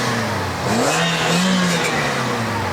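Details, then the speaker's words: 2017 Toyota Vios Sports Edition, 2NR-FE 1.5 L Dual VVT-i, CVT, straight-flow exhaust, just started; light throttle blip rises smoothly and returns to idle, no misfire or rattle, nothing loud: normal free revving. "Just very ordinary Nothing loud"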